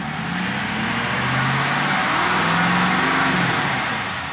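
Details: Ford F-450 diesel after being misfuelled with gasoline, fuel replaced and injector cleaner added, pulling away: even, steady diesel note with no misses or knocks, earlier chugging gone; running smooth.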